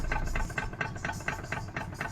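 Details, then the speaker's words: Car chassis with a regular hollow clunk about four times a second over a quiet engine, traced to the steering rack, which also leaks oil from aged seals at high mileage and is loudest when steering; fix is rack overhaul and clearance adjustment. "看这底盘咣当咣当的响啊！经过了检查，我们发现这种异响声是从方向机的位置传出来的。"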